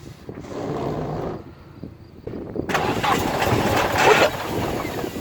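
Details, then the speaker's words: Toyota Corolla AE86 with swapped KA24DE from a 240SX, turbo manifold as downpipe; only starts on starter fluid; cranks, catches and roars briefly, runs rough a couple of seconds, then dies. "It just turned off."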